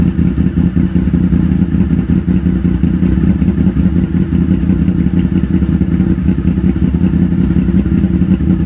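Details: 2000 Honda VFR800, a V4 motorcycle bought wrecked and non-running, now restored: steady, throaty idle with an even pulse and no rattles or stumbles; normal idle.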